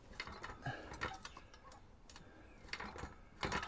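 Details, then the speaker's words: Garden swing in use after replacing the loose bolt that was moving and clunking; only soft ticks and creaks with no heavy clunk, though the other side's bolt is still moving slightly. "it's not clunking like the other one was but it is moving"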